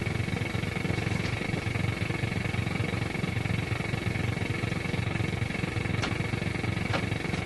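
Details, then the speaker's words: Grundig Transistor 1001 portable radio on long wave: steady buzzing hiss, fixed whine and rough low drone; strong interference from an unknown source, unchanged when the UPS switched to battery, so probably not the UPS; radio itself works. "So I don't think it's a UPS. I don't know what it is that produces this gargantuan signal here. There it is again. So anyway, radio's good, reception not."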